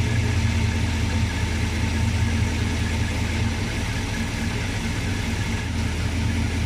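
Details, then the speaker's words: 1966 Plymouth Sport Fury V8 with original stock camshaft at 650 rpm idle, 15 degrees initial timing: low, steady, even burble with no skips or knocks; normal smooth idle, doesn't stall when put in gear. "Now I want to swap this camshaft in the worst way, but it's amazing how smooth this V8 runs."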